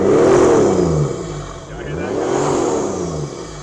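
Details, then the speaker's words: 1994 Toyota Land Cruiser 80 series turbo diesel, Japanese import, about 234,000 km, mic held at the intake: revs up and drops back twice with a soft rising and falling turbo whistle; no smoke, healthy. "You can hear the turbo coming off the intake here."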